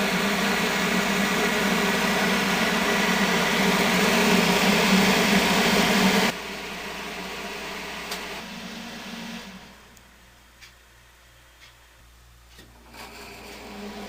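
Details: 1970 Triangle Mobile Home Products bathroom exhaust fan, 115 V 60 Hz, oiled about two years ago, with worn bearings from long running dry and dirty: rattles at startup, then a steady, even whir and low hum at speed, running smoothly.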